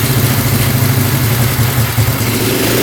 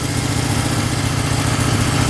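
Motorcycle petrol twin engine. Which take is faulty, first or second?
first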